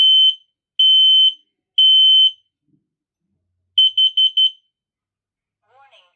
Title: my KIDDE model KN-COSM-BA smoke/carbon monoxide alarm test